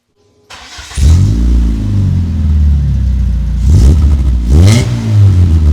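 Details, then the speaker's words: Dodge Neon exhaust: deep boomy note rising and falling through throttle blips with a low drone under each rev; it sounds worse with the muffler fitted than without. "ay actually sounds worse with the muffler on damn it damn it that sucks but oh well I guess we're rocking no Muffler"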